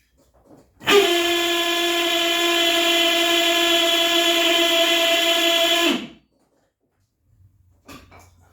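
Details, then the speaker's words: Citroen Saxo VTS turbo (330+ bhp) electric power steering pump after filling with Dexron 3 and turning lock to lock: loud steady high-pitched whine for about five seconds, stopping sharply; owner suspects pump motor damaged by running dry during wiring. "However, I am 99.9% sure my power steering pump shouldn't sound like this."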